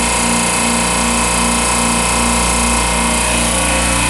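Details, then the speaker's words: Compressor with oil failure, net oil pressure swinging between 22 and 10 psi, after purging: steady mechanical hum with a faint, regular pulsing knock underneath; suspected worn bearings or oil pump, something internal. Abnormal compressor noise. "all right so it's still making a little noise my net oil pressure is going between 22 and 10."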